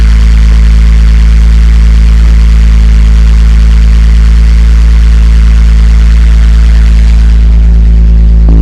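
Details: BMW E46 330ci that kept cutting out, after the sticking idle control valve was freed up: a steady, even low rumble with no dips, surges or stalling; a smooth, normal idle.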